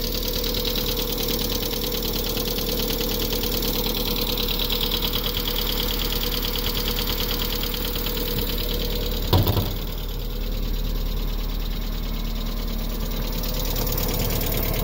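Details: 1998 MGF, first run in a few months: steady idle with a fast, uneven ticking clatter about three per second from the engine; cause unclear.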